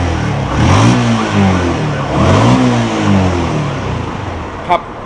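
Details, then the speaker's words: Yamaha X1R 135 motorcycle upgraded with R15 parts, on the stock exhaust, after a new clutch, brake work and a general overhaul: two clean throttle blips with even firing and no knocks. A slight clutch noise remains, put down to the bike's age. "แทบไม่ได้ยินเสียงเลยครับมีเสียงคลัทช์เล็กน้อยก็เพราะว่ารถก็หลายปีแต่ว่าวันนี้ทำใหม่หมดเลยครับเครื่องดีครับ"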